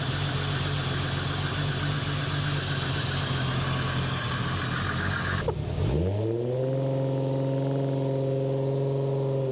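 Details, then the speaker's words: Holden Ecotec 3.8L V6 N/A burnout-car build, first start after final assembly with brake cleaner sprayed in: loud running, then a fresh start with revs flaring and settling unevenly; runs rough because the tune is still off. "it tun's still a bit off so she's going to be a bit rough"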